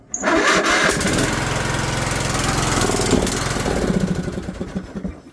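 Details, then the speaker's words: John Deere 102 riding mower, cold start at about 8° (feels like -7), battery charger cables connected: cranks, fires and backfires a little, runs rough and uneven a few seconds, then stalls; owner tried shutting choke off, cause unconfirmed. "Okay, now the cables are connected. I'm going to see if it'll fire now. or spin backfire a little bit."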